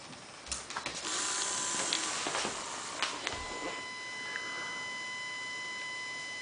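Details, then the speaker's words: Fischertechnik pneumatic hand model: after handling clicks, a steady high-pitched whine as the motor strains against its end stop, wanting to go further but can't; the gear whines and hangs. "now you already hear the high-pitched sound of the motor that wants to go further but can't."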